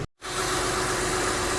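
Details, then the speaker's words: Honda Pilot/Ridgeline/Odyssey after alternator replacement; the old one whined and charged only 13.3 V, the new one holds 14 V under electrical load: steady, even idle with a smooth hum and no whine; normal charging. "new alternators in and there's a no more whining noise"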